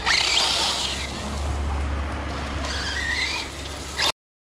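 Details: Arrma Outcast BLX 6S RC basher on Road Crusher tires, driven hard: harsh gritty crunching and squeal over the motor whine; crunchy, worn center differential needing replacement.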